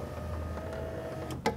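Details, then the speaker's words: Power window running: thin steady motor whine over a low hum, then a sharp clunk at the end; still works but sounds off, owner suspects it is sticking. "know if you can hear that it still works fine but it doesn't sound quite right I think that maybe it's kind of sticking or something"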